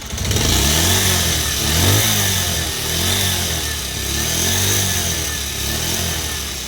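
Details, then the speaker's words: Pulsar 125, 2020 model, 5 years old and owner-maintained: even idle thump swells smoothly with throttle blips and drops back cleanly, no rattles or knocks. The owner says it sounds the same as when new; normal idle and revving. "మన కొత్త బండిలో ఎలాగుందో అలాగే ఉందన్నమాట ఇప్పుడు వరకు. అలాగే maintain చేసుకుంటూ వచ్చాను అనమాట."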